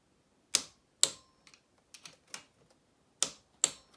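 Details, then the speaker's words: Honda Z50 Monkey top-end gasket rebuild, cylinder head nuts: crisp metallic clicks in pairs as the torque wrench breaks over at set torque; nuts correctly tightened, to be rechecked after warm-up. "yeah hear that click there so that's the torqued that that's telling you that it's torqued to exactly where you want it"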